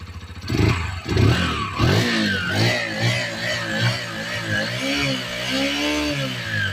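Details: Romet Chart 125 single-cylinder OHC engine after a valve clearance adjustment: blips up and settles into a steady even putter with no ticking rising with revs; valve train healthy, normal running.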